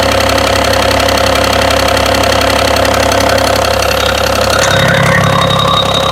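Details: BMW engine at steady idle with a regular knock of about two and a half per second on top; engine knocking at idle, cause unknown.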